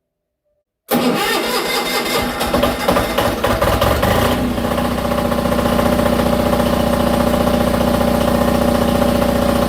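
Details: Onan DJB 6.0 kW diesel gen set after field coil rewind, breaker off: cranks, catches and settles into a steady even run with faint hum; works as it should.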